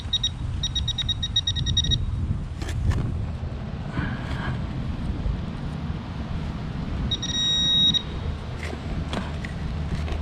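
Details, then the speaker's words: Minelab Equinox 800 at an old school site, around 1890–1905: two short bursts of sharp rapid high beeps over ground scuffing, jumpy signal near 39 looping to high tone; probably iron trash. "And sometimes when it goes that high, it almost wants to loop signal back. It's going back to, instead of going to negative, wants to go like a high tone stuff."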